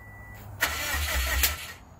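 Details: 2006 Subaru WRX engine rebuild, first start attempt: a short burst of starter cranking with a crackly edge stops abruptly and the engine never catches. Sparks and smoke came from what is suspected to be the power cable, an electrical fault that is not confirmed.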